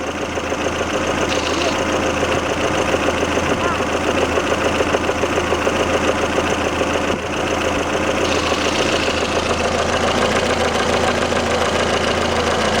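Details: Lada Kalina 11183 1.6L 8-valve, about 70,000 km (odometer suspected rolled back), knock appeared on hot engine after oil change to Shell 10W-40 and flush: light steady knock through warm idle; camshaft axial end play, resolved.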